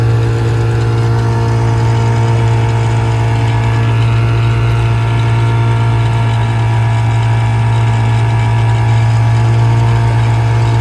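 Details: 1956 Johnson 7.5hp AD-10M outboard in gear under load on a 14-foot deep-V Sylvan boat, about 8–10 mph, nearly planing: strong, steady low drone at constant pitch, even beat, no misses or knocks; very good running, quiet, reliable motor.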